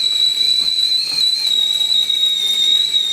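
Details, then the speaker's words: Magic Chef 3867VVV stove burner after repair (previously only hissing): loud steady high-pitched kettle whistle for several seconds, burner now heating normally. "it for that beautiful sound that tells me I'm about 5 minutes away from my French press and sitting on a porch watching the squirrels, drinking my coffee."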